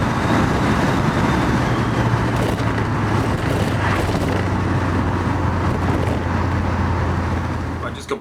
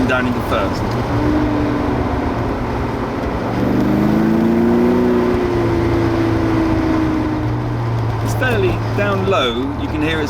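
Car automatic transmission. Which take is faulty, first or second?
second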